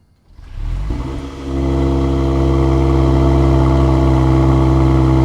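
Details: Mercedes GLE53 AMG, first start after a full engine rebuild: it fires almost instantly with the starter barely heard, then settles into a smooth, even run, with some warning lights on. Normal start and idle.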